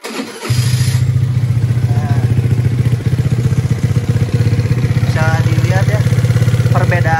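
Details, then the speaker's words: Piaggio Zip scooter serviced just the day before: even, steady idle with a soft low putter and no knocks or rattles, softer than another Zip with a heavy noise from its CVT block, normal idle. "beda-beda ini baru beres kemarin baru-baru service ini lebih lembut suaranya kedengarannya lebih soft gitu suaranya"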